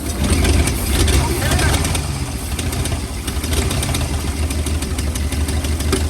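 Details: 1940 or 1941 Ford truck with flathead V8, parked in woods about 50 years, block still cold: lumpy, uneven low idle rumble. Owner suspects worn rings (anti-oil-fouler adapters fitted) and thinks it may improve with running.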